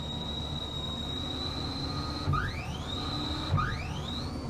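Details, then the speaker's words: 1968 Toyota Stout EV conversion (Motenergy ME1004 motor, 48V LFP batteries), wheels turning, controller current limit turned off; two sharp clunks a little over a second apart, each followed by a whine rising as the motor spins up; owner unsure, thinks it is limiting itself. "I don't know what that uh clunking sound is it's like it's limiting itself in some way"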